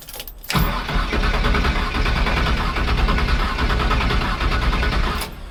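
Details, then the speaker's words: Truck that nearly stalled after a burnout following a transmission reinstall, tried after one wire was replaced: starter grinds, then a rough, uneven run that cuts out. Hard start; owner suspects ignition timing is off, distributor to be pulled. "And it sounded like timing is off. Alright, guys. Sounded like the timing is off."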